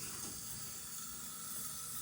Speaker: As you can see, it's spraying water. That's the toilet fill valve. Yes, it's making noise and it's spraying water.